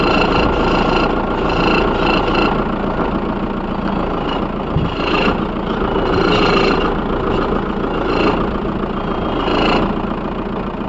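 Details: VW Polo 1.9 TDI 131 (BLT) cold-start idle: rough rattle with squealing bursts lasting about a minute or two, gone when hot; mechanic traced it to the alternator belt and pulley.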